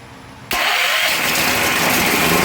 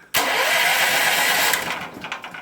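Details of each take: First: Powerhorse 9000ES generator with new battery and cables: key switch gives nothing, but bridging the starter with a screwdriver spins the engine steadily for about five seconds; starter good, solenoid diagnosed bad. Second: Powerhorse 9000ES generator after new solenoid fitted and switch temporarily reconnected, carburetor superficially cleaned, no air filter: brief crank, catches straight away and runs steadily; clean electric start.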